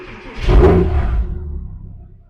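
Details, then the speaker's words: Porsche Cayman S after a cylinder 3 misfire (P0303) repair: new coil fitted, faults cleared. Clean start and short rev with no jitter or misfire, and a possible exhaust shield rattle. "It's not jittering. It's not misfiring. It sounds nice."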